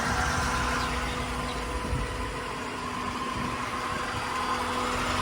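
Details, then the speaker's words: 1992 Corvette LT1 V8, 751 miles, stored since new, fresh factory fuel pump and new injectors: steady, even cold idle with constant hum from the air pumps layered over it; healthy, runs great. "And it runs great. I can start it up. Make sure the battery's still up on this thing. Oh. Good old LT1."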